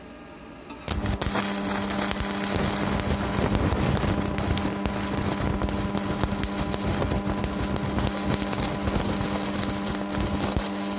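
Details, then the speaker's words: Strat 160KS welding inverter, 2 mm gap, 2.5 mm electrode: a steady low electrical hum under crackling arc noise while welding; it hums but keeps welding, cause not pinned down. "варим сварочным инвертором рат 160 КС зазор 2 мм электрод 2,5 мм гудит но варит начинаем варить"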